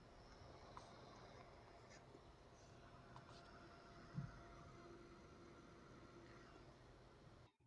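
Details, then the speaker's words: Aoostar AG02 eGPU dock, Great Wall 800 server PSU fan after the fix (removing the PSU screws that pressed on the fan casing): soft, even fan hush with a faint steady hum, no rattle or buzz, a clear improvement. "decent improvement I think in terms of um sound and everything."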